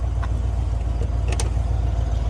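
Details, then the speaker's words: 300,000-mile 1996 Ford truck warming up at idle with cooling fan refitted, possible overheating and low coolant, timing uncertain: lumpy, uneven idle with an irregular low pulse, smoothing as it picks up cylinders while warming; rough idle, misfire cause unconfirmed. "Well, it sounds like it's picking up some extra cylinders as it sits here and warms up."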